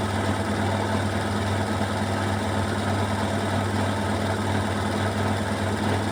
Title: Washing machine Beko WMY81283LMB2 unbalanced loud rattling final spin 1200rpm with water swirl!!!!!!